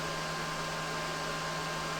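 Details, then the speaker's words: EG4 Chargeverter Plus 48V AC-to-DC battery charger set to 100 A, charging at 94.8 A: cooling fans ramping up to around 9,000 rpm, steady high-speed whir and even hum, no ticking or grinding; normal. "Charging amperage is 94.8, even though we have it set to 100. Fans are ramping up."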